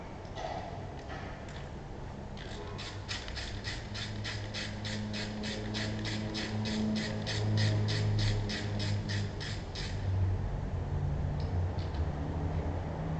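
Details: Range Rover engine: a quick, fairly regular mechanical rattle of about four ticks a second rides over a low engine drone; cause unclear.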